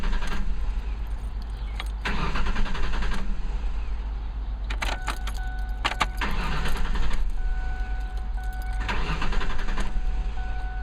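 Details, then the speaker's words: 2005 Ford Ranger after fuel filter replacement, key cycled three times to prime, then cranked: starter churns in several bursts but engine never fires. New filter didn't fix it; owner suspects fuel pump or its fuse, unconfirmed. "Well, this is not good news. Well, the good news is I got a new fuel filter, and the bad news is that's not what I needed to get. That probably is a fuel pump."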